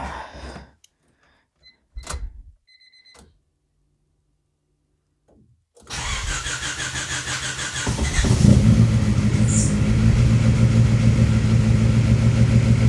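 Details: Turbo SOHC Honda Civic d16z6 (locked VTEC) first start after rebuild and valve adjustment: after cranking it fires with a fast, light tapping over the idle; two valve adjusters had backed almost completely off, causing the loud valve noise.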